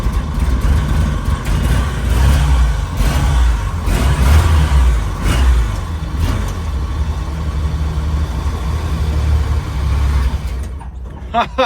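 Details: 1940 Dodge VFA32 winch truck, 85 years old, first start out of gear: catches and runs rough and uneven for about ten seconds, then stalls. Runs briefly, then dies from fuel starvation.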